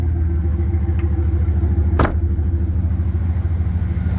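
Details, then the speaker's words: 1998 Dodge Ram 1500, heard from under the truck after exhaust patching and welding, with the muffler left off: deep, steady low rumble with even firing pulses at idle and no knocks or ticks; open exhaust, running fine. "the old Ram's got a back to her I think that's what we like"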